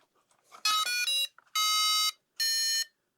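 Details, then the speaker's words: QIDI 560 (M7) beginner 4-channel RC plane, 500 mm wingspan, brushless motor, gyro: transmitter on and battery connected, three steady high beeps about half a second each, a normal startup tone. "Before we get carried away, I guess we'd better just check that everything is working. Switching on the transmitter then and connecting our battery up."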